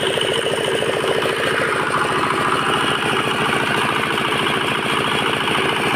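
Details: Bharat R175A single-cylinder diesel engine, fully rebuilt after it stopped suddenly and the flywheel jammed, filled with oil, started for a sound check: even, steady chuffing about three per second with no knocks or misses; normal running.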